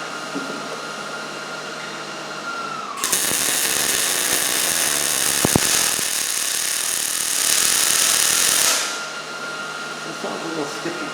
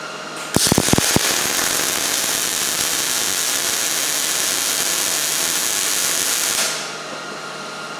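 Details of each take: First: New Miller Millermatic 211 MIG welder with voltage raised to about 7.5 after a low-voltage skipping bead: about six seconds of steady, even frying crackle with no popping or stuttering; normal MIG weld at proper voltage. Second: Miller Millermatic 211 MIG welder on about 1/8-inch steel, second bead with voltage turned down too low: harsh, uneven crackle with stuttering gaps instead of smooth sizzle; arc skipping, poor penetration, bead sitting on top.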